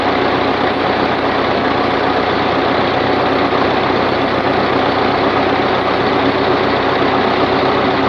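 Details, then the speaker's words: Continental F124 flathead on propane from a fire-damaged 1952 Carloader forklift, warming up with radiator temporarily connected: steady even idle hum, no knocks, misses or rattles, 40 psi oil pressure at idle; normal idle. "40 pounds of oil pressure at idle"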